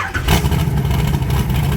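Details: 1980 Trans Am with turbocharged Gen 1 small-block Chevy (blow-through carburetor), after new valve seals: strong, deep note with revs rising and holding cleanly, no misfire or stumble. Earlier bad smoking is cured, barely smoking at cold start. Healthy.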